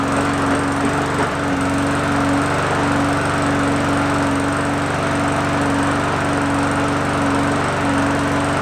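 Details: Free roadside lawn mower with primer bulb, primed three times, started on first pulls; steady even buzz at constant speed, no misses or knocks; running normally.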